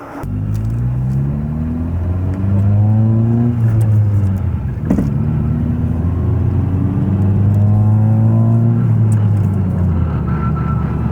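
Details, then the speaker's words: 2018 Honda Civic Si with full bolt-ons, engine pulling hard in third gear; coarse rattling drone, then a whine on lifting off the throttle, from broken teeth on third gear in the transmission. "as you guys can see the moment I got on to third it started making this like a rattling noise and that's obviously because of the fact that I was missing some teeth"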